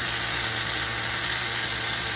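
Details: HPI MT2 nitro RC truck on a nearly empty tank after running too rich during tuning: small nitro engine holds a steady, even high-pitched buzz with no stumbles or surges; tune sounds good at idle.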